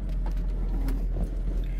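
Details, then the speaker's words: 2016 Toyota Innova 2.0 with 191,000 km, started during inspection: even, low engine rumble at idle with no knocks, misses or rattles; engine runs smoothly and sounds healthy. "kita on enggak ada masalah kita starter Oke gak ada"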